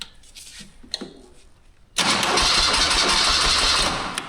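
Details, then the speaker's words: 1981 BMW R100RT air-cooled boxer, 29,000 km, sitting for years; starter turns the engine over at a steady cranking beat but it never catches, with no fuel reaching the carburetors: crank no start. "Okay, it's cranking, but now we need some fuel."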